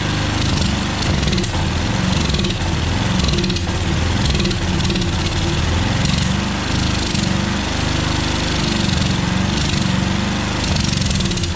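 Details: Small engine on a yard-sale pressure washer with automatic choke, running on choke only with a lumpy, hunting, uneven chug that never picks up; needing choke to run suggests a dirty carburetor (suspected, not confirmed), to be taken apart.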